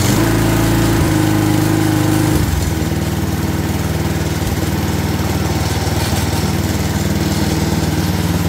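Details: Craftsman 22-inch walk-behind string trimmer that previously didn't run, now cleaned and primed with the bulb: the small engine fires at high revs, then settles into a steady, even beat of about three pulses a second. Normal running.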